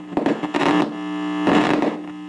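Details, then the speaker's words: 1978 Fender Silverface Champ amp: turning the volume control gives bursts of crackling and popping over a louder-than-normal hum. The amplifier section works; the scratchy volume pot may just need cleaning, and the hum may be related to it. "you can hear all kinds of popping and uh the amplifier portion is working okay but this volume control is no good I may just need to be cleaned"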